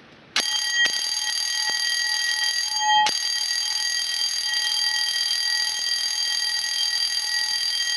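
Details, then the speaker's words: 1987 12-volt intruder alarm bell from a CQR vented bellbox: twin metal tongs strike the gong, giving a loud continuous high metallic ring with even rapid strikes; working normally. "right so as you could hear that was pretty loud so that's how this bell works basically it's just that dunk it in the metal creates the ringing sound"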